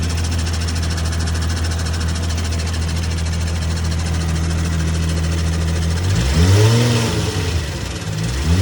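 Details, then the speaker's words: 1995 VW Golf Mk3 VR6 with MagnaFlow exhaust: steady droning hum at idle with a faint whir from the transmission/clutch area that disappears when the clutch pedal is pressed slightly; owner suspects throwout bearing and guide tube, with shifting getting harder. "Now you can hear the extra saucy of the trans and the clutch. If I push the clutch in a little bit, it goes away. So I think overall it's the throwout bearing and the guide tube."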